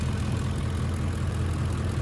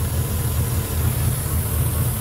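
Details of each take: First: 2006 Ford F-150 5.4L 3V Triton (remanufactured engine, almost 300,000 miles) that had lean codes P2195/P2197 and ran rough. After fixing a vacuum line that held constant vacuum, it idles as a low, steady V8 rumble with faint valvetrain ticking and no hiss; fuel trims adjusting. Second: 2006 Ford F-150 5.4L 3V Triton with a remanufactured engine, almost 300,000 miles, codes P2195/P2197 stuck lean. The hot idle lopes and shakes unevenly, laboring to stay running, with hissing: rough idle from a large vacuum leak.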